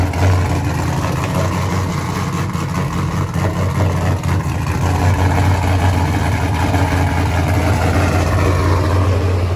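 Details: Pontiac G8 race car with ported heads: engine fires and settles into a strong, even idle with a deep steady rumble, no misses or knocks; runs healthy.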